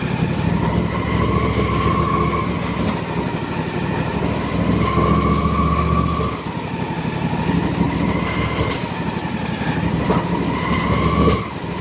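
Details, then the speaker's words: Husqvarna YTH24 48-inch mower, Briggs & Stratton Intek 24 hp V-twin: rough, uneven running with sporadic popping, backfiring and bogging. Leaking, separating plastic intake manifold; permanent fix is the aluminum intake, part 797503. "It's very faint, but there are times when you can hear it in the engine really bad. The engine will actually bog down a little bit."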